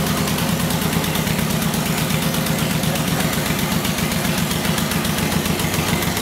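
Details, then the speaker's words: 2006 Suzuki Boulevard M109R (VZR1800), 19,641 miles, front-end collision but engine and transmission undamaged, started by the starter solenoid: steady, even V-twin idle with regular low thump and no knocks, rattles or misses; engine sounds healthy. "we're going to start it up let it idle and then put it through all of its gears so you can see it for yourself"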